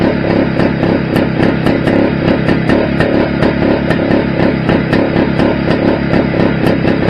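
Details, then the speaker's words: Restored Greeves two-stroke motorcycle at first start-up after project rebuild: fast crisp crackle at steady pace, no knocks or rattles; sounds all right, though owner thinks calibration may be off and it feels slightly underpowered, maybe gearing. "Well, that sounded all right."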